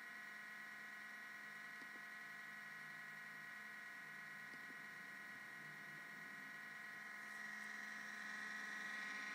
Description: My MBP is going nuts. This happens when i start it up..